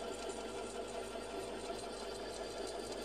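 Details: Metal Master MMD 20LV machine, barely used since purchase, run after lubrication: steady, even hum with a fine, regular rapid ticking on it, possibly the reported knocking and crackling; cause not yet known.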